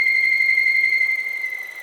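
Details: Skoda Octavia 1.2 TSI (CJZA): loud steady high whistle while driving as revs drop from 2000 to 1000, holding pitch then fading; comes from the oil separator cover, likely its broken diaphragm; PCV oil separator diaphragm whistle.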